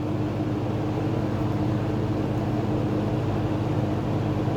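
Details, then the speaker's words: Early-1970s Kmart/Lakewood P-23 20" box fan with metal blades and a McMillan motor, on high at about 2.6 A and almost 200 W: a smooth, constant hum with an even whoosh of air and no wobble, ticking or scraping; normal operation. "this thing moves a ton of air. Definitely more than the plastic blade models."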